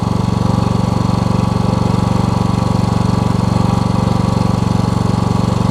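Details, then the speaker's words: Toro Z5000 zero-turn with Kohler Courage twin after fixing intake back pressure by adjusting a tight intake valve and the choke: steady, even thumping about three beats a second, no misses; now running great. "well guys it didn't occur to me that i probably haven't or this thing probably ain't been running a while and just maybe had some oil build up in the muffler it's running great now though"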